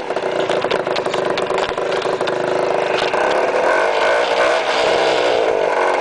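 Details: Speedfight two-stroke scooter revving with an uneven, rattly roughness over the engine note; abnormal engine noise, cause unclear.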